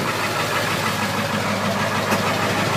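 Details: 1999 Ford F250 Super Duty 7.3L Powerstroke diesel, 254,972 miles, 5W40 oil: steady even diesel clatter at idle, no misses or knocks; starts and runs great, no leaks, absolutely no blow-by, normal idle.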